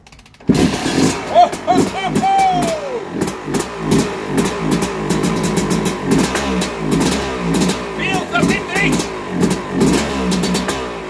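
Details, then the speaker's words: Yamaha YZ250 two-stroke, first start with new Lectron Billetron 38 mm carburetor fitted straight from the shop, no adjustments: catches and blips in uneven bursts, dropping away between blips; no idle at all, stalls off throttle, cause not confirmed. "no no I know it no idling no idling at all let's try again"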